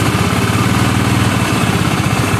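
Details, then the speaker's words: Honda Vario 110 scooter, before repair, that often stalls after about 100 m: low, lumpy idle with uneven pulses, engine sounding too rough; oil then found empty and coolant checked. "Dan di sini suara mesinnya juga agak terlalu kasar juga ini."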